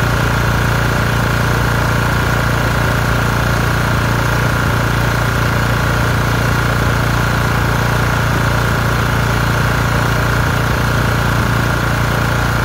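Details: LT1040 lawn tractor single-cylinder engine after valve cover gasket reseal with silicone that cured white smoke from the front; steady, even idle, no misses or knocks, constant compressor whine behind — normal idle.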